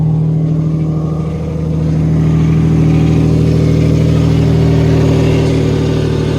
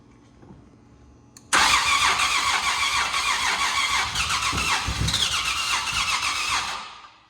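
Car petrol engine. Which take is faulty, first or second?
second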